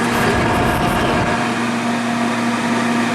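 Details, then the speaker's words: New humidifier, 2-gallon multi-room unit, running on its highest speed: steady loud whoosh with a faint constant hum; blower fan unusually noisy, suspected defect out of the box. "Wait a minute, what the heck is that noise? Do we have a blower fan in here or what?"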